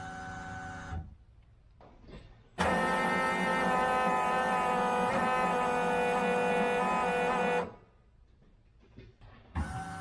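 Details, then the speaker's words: 1971 Corvette with Holley Sniper TBI, newly installed Holley in-tank electric fuel pump replacing an external pump: steady electric whir for about five seconds at key-on, then stops; normal, very quiet fuel pump prime. "I don't know if you could hear it or not, but inside the car, I cannot hear it at all."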